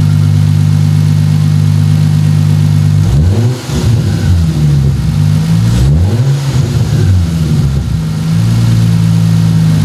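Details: Lucore Automotive MKIII Supra with 2JZ-GTE twin-turbo swap, rebuilt after turbo bearing/bushing failure, heat shields and turbo blankets added, coolant filled, first run before oil drain; smooth steady idle, two clean even throttle blips, no whine or rattle, healthy.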